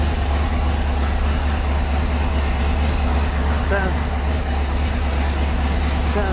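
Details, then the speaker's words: 1976 Ski Nautique inboard with Pertronix D231801 distributor, first start after restoration, weak battery: deep steady rumble, tach reading 1,000 rpm with 50 psi oil pressure; idle a little high. "Auto pressure is reading heavy 50 pounds oil pressure the attack is reading a thousand which is a little high"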